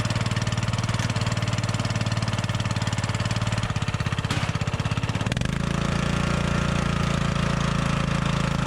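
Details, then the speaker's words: Riding mower after clearing a flooded engine, owner thinks the ignition switch was the culprit: single-cylinder thumps steadily, then settles to a smoother, higher even beat while left running to charge the battery; normal running. "we'll just let it run for a little bit charge up the battery and make sure it runs good"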